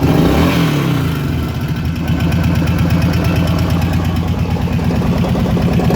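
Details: Kawasaki KVF 750 Brute Force ATV V-twin running: fast light ticking about three per second over the low thump, from the top end of the engine, cause unclear; top-end ticking.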